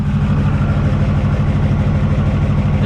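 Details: Ford F450 V8 at an uneven, lumpy idle with a stumbling low beat about twice a second, missing on some cylinders. It is worse on rainy days. The owner suspects compression loss, not yet confirmed.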